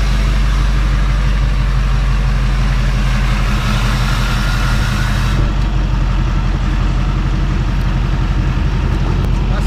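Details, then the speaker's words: Diesel truck after repair: deep, even diesel rumble at idle with no ticking or the annoying squeak heard before; engine sounds healthy, normal idle. "oh yes I'm excited the truck sounds good now no more of that annoying squeak"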